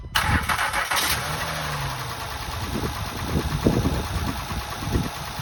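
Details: Honda Pilot just after timing belt replacement, engine rotated and marks verified, battery reconnected: brief crank, then fires promptly and settles into a smooth, even idle with no knocks or slapping; runs healthy.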